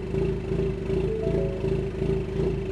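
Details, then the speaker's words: 2020 Ford Mustang EcoBoost HPP, Stage 1 short block, Ford Performance cams, ghost-cam idle tune, in park with exhaust valves open: rhythmic surging lope about two pulses a second over deep burble; idle itself stable; suspected idle spark timing oscillation. "and actually surprisingly the idle is pretty stable when it's doing it idle doesn't fluctuate anymore"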